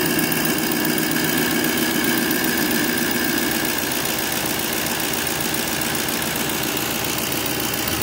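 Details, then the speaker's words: 2007 GMC Sierra Classic truck engine at idle after DIY oil pressure sensor replacement: the gauge no longer pegs at 80 on key power and oil pressure reads normal. Smooth, steady idle, even hum, no knocks, ticks or rattles. "Looking like I got that oil pressure again where it's supposed to be. So now let's jump over here. Everything sounds good."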